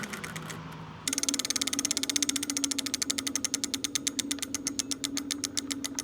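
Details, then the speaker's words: Lectric XP 4.0 (750 W) eBike rear hub motor after part replacement, motor reconnected, checking for earlier motor hum: rapid, even ratchet clicks slowing as the wheel coasts, no hum; normal freewheel. "Yep, and I do not hear a humming. It sounds like it's freewheeling just fine right now."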